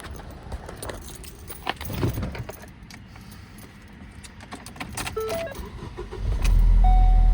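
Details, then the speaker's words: 2015 Ford Focus after replacing 50A fuse (fusible link) for intermittent no-key-detected no-start when hot: keys jingle, starter catches, engine fires into steady low idle. Normal start; fix not yet confirmed by driving. "right, so at least it's working. Yeah, everything sounds right, but of course we won't know until we drive it for a while and see if we run into that issue again."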